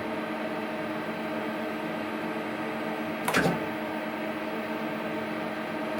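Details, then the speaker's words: Hardinge CNC turning centre turret, first run after reassembly of the rear turret end (hydraulic valves, index motor); steady unbroken motor hum as turret spins round tight against housing instead of stopping; turret rotating continuously, not indexing. "uh-uh yeah now it shouldn't be spinning round and round and round like that tight up against the housing"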